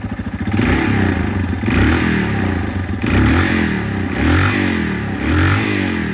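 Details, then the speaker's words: 2001 Yamaha TTR 225 dirt bike, revived after sitting four years unrun with carburetor cleaned, key electric start: catches within a second, then a steady, even, unhurried single-cylinder putter; healthy start and idle before first test ride. "[Laughter] so it idles really well it seems to be running really well"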